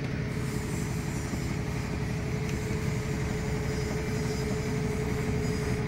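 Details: Samsung top-load automatic washing machine after repair of DE error and no-spin fault: even low rumble with steady mid-pitched hum, no knocking or scraping; normal spin cycle.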